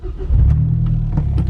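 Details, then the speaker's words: Mazdaspeed 6 after repair, turned off and restarted: engine fires promptly and settles into a steady, even idle with no misses or knocks; normal restart and idle. "ok so now one more test turn it off does it come back on an idle good oh"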